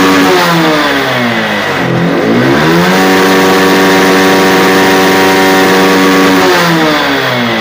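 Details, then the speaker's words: Honda X-Blade motorcycle after the local air filter was replaced with an original Honda filter, curing its low pickup: engine climbs cleanly from idle, holds high revs and drops back smoothly; normal revving. "பார்த்தீங்கன்னா தெரியும் சூப்பரா racing ஆகுது"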